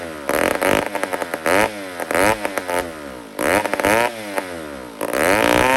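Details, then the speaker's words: 150 chainsaw made in Toronto, Canada, before carburetor work, carburetor very dry: catches in short revving bursts about every second after priming, then dies each time; fuel starvation. "but this is what it does and if you're quick enough you can fire it then grab this again and prime it right keep it going"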